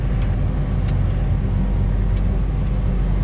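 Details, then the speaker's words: 8120 tractor diesel nearly up to operating temperature after a new filter and seven gallons of hydraulic oil. Steady, even low rumble with no whine or chatter on top. The hydraulic noise is gone and it runs normally. "oh yeah i can hear the difference last night i had no no difference whatsoever and we are actually up to almost up to temperature"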